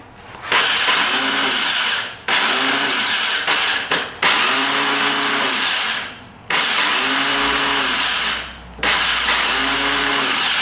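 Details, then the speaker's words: 2002 Yamaha Warrior 350 quad, bought as a non-runner; five short bursts of high free-spinning starter whir with no cranking chug, engine never turns over, starter spinning backwards because of a flipped magnet housing. "Oh, it doesn't grab the engine though. Darn it. It's not turning over the engine here."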